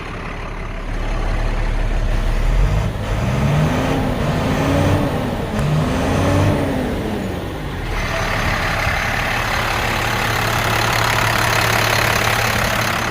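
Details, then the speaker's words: 2007 International 4400 grapple truck, DT466 diesel with Allison transmission, damp morning; clean idle then three smooth rev blips rising and falling before settling, engine sounds strong and healthy — normal diesel revving. "motor sounds great to rev it up so you can hear it"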